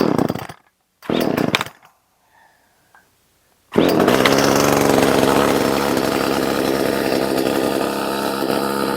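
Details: Echo CS 370 two-stroke chainsaw after opening the low-speed jet, choke off: after a few failed pulls it catches and holds a steady, even high buzz with no surging or dying; runs clean.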